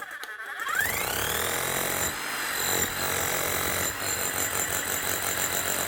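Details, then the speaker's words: Bosch hammer after new armature, bearings and seals fitted: motor whines up and settles into steady, fast, even hammering with no grinding or rattling; runs like a new hammer. "Nice one. Sounds good. Basically, a new hammer at a third of the cost."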